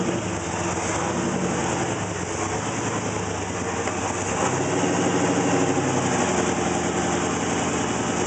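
Uneven, loping idle with a wandering beat and pitch that never settles; runs rough, cause not evident by ear.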